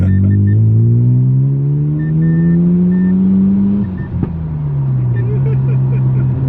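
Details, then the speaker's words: Series 6 Mazda FD RX-7 project car, long unused, possibly old fuel, backfiring: under load the engine note climbs, then power cuts out in third gear before picking up again; boosts fine in first and second, owner suspects a boost leak. "Oh, there you go. Third gear just cuts out. That's alright. Oh, yeah. Something's happening there, but for the most part, Could even be a boost leak."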